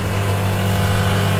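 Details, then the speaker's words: Milesto espresso machine with a thermoblock, warming up: a loud, steady low buzz and flash sound as the pump runs dry with the thermoblock empty, until it draws water after about 23 seconds. "Oke jadi wajib begitu dengar suara tadi flashnya kita buka ini dia kosong tuh"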